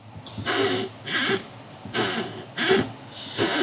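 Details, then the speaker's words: 2014 Jeep Wrangler Unlimited Sahara: five creaky squeaks, one each time the brake pedal moves, heard from under the dash; suspected dry Teflon pedal pivot bushing, to be sprayed as the fix. "So what I think is happening is that there's a Teflon bushing in there that is a little bit dry."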